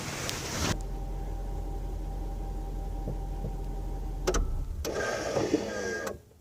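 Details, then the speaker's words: Jaguar XJ8 electronic parking brake, recorded with phone in the trunk at engine shutoff, after a stuck-EPB fault that would not reset: engine hum cuts, then about a one-second motor whir. Parking brake engaging normally. "I'll turn the car off, and I'll actually I'll put the phone in the trunk, and you'll hear the parking brake engaging when I turn the car"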